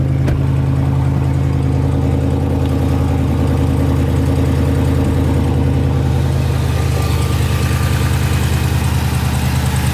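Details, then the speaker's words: Brand-new 2020 Dodge Charger 392 Scat Pack Widebody V8 just after a cold start: a steady deep idle with a light, fast, uneven ticking on top. The owner suspects the lifters hitting the cam; this is unconfirmed. "you guys hear that right there that little ticking noise that's what i'm talking about right there"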